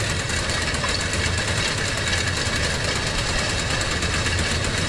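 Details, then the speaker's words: Tractor-driven seed drill after replacing broken gears and chains, seized by clogged fertilizer and seed hoppers: steady engine drone with no knocks or rattles from the gear drive; normal running. "gayet güzel Herhangi bir sıkıntı yok Ses yok yok"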